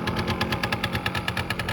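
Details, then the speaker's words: 1989 Yamaha Riva Razz 50cc two-stroke scooter (SH50), 2,500 miles, first run after a tune-up and years off the road: quick crisp popping at a steady idle, even with no misses; slight smoke likely leftover oil in the oil line. "Just putting away. Smoking a little bit, but I think that's just the leftover oil that's in the oil line."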